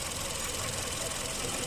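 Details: Hyundai Avante GDI petrol idling with busy, knocking clatter and slightly uneven beat; code P0301, cylinder 1 misfire detected.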